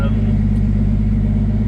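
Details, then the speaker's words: Turbo Centura cold start: steady cold idle with a light buzzing rattle over the low hum from the wastegate actuator shaking, which goes away once the engine warms and expands; otherwise fires up fine. "until it gets warm the actual waste gate actuator um shakes a little bit that's that little vibrating noise you can hear but um yeah part that's well that's the vibrating noise there um but that goes away once it heats up and everything expands"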